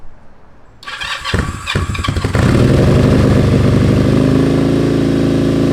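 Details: Kawasaki KZ440 after starter motor repair and a recent tune, petcock on, fueled and oiled: a few cranking chugs, then it catches into a steady, even idle with no misfires. Starts and runs cleanly.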